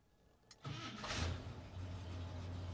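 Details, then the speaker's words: 1972 International 1210 pickup started on the key after a Pertronix ignition install with the air gap set and the original coil wire, choke and coil powered off one wire. Quick catch, steady even idle, no misfire; 100% better. "I'm gonna fire it up. This is with the Pertronix and using the key."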